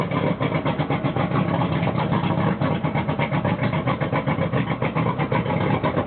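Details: Suzuki DT225 outboard running on flush muffs with a homemade flush muffler fitted to quiet its loud exhaust; steady idle with even muffled pulse, no knocks or misses, running normally.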